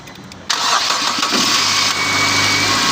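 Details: Nissan with fuse box no-start problem: brief crank, then engine catches at once and settles into a steady, even idle; starts normally.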